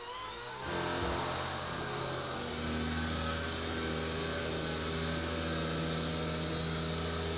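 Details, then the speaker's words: Blade mCP X micro helicopter in flight, wobbling and unstable; loud high-pitched rotor whine with rough buzzing rattle throughout; abnormal noise and vibration in flight, cause suspected loose rotor drive, not confirmed. "just to prove that it is still flying but it's just making this noise and i really don't want the noise because it's not very nice kind of thing"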